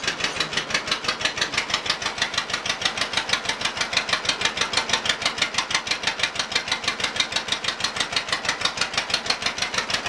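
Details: Cold startup of an old Case RC or John Deere 50 tractor (the John Deere reportedly runs better warm) idling with slow, even chuffing about three beats a second; healthy idle.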